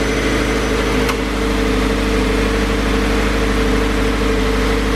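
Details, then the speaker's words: 2016 Subaru BRZ, 65k miles, idling after spark plug change with AC on and cooling fans kicked on: steady, smooth idle with an even low hum, no misses, knocks or hunting; normal idle. "sounds good there goes idling where it's supposed to be fans kicked on because i have the ac on sounds smooth sounds good"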